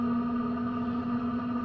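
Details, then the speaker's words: Sherp ATV Webasto diesel parking heater on a cold start, just lit after the fuel pump began calling for fuel and the fan started, heard from outside: loud steady droning hum with a constant mid whine, no knocks; normal warm-up, gets loud until up to temperature. "so she is now heating so we'll close this all up come back out i don't know an hour or so i think i don't know if you can hear that but it gets pretty loud actually on the outside"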